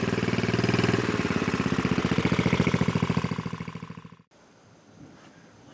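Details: Completed new-old-stock Briggs & Stratton 5HP dual-shaft aluminum-bore engine rebuild with 70-80% NOS/new parts and new kill switch; chugs at an even, quick beat before shutting off, steady firing with no misses or smoke; healthy.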